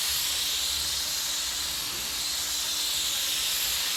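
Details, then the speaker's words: Spray gun priming an 81 Corvette hood stuck passing air only: continuous steady hiss, no sputter, no primer atomising. Missing Teflon tape or needing a rebuild suspected, unconfirmed. "yeah what's the issue with your gun sounds like it's stuck in air now I didn't use any Teflon tape on that thing there could it be that no this gun need to be rebuilt"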